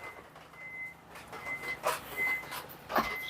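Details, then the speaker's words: Toyota Fortuner (2015-2024) power tailgate after fitting new OEM plug-in electric struts left and right, replacing failed originals that stuck and were noisy; hand-opened test: quiet beeps over soft thumps, rising soft and smooth without grinding: normal operation. "มาเดี๋ยวเราลองมาเทสระบบแบบใช้มือมือกดเปิดเอานะครับทีนี้มันก็จะขึ้นแบบนิ่มแล้วก็สมูทแล้วเนาะ"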